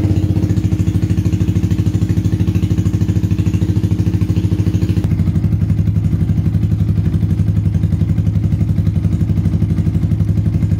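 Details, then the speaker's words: Yamaha Vixion/Xabre after an engine rebuild (new block and piston, cleaned combustion chamber, valves and new valve seals), valve clearance set to exhaust 0.15 and intake 0.10, compression now normal. A low, even single-cylinder putter at steady idle with no ticking or clatter: healthy. "untuk suara mesin sudah halus celah klep saya set X berukuran 15 sedangkan in berukuran 10"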